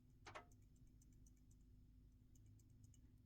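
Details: Samsung S24 Ultra rear camera module removed and shaken by hand: quick light ticking rattles, louder than normal OIS rattle; faulty camera module, replacement module is silent.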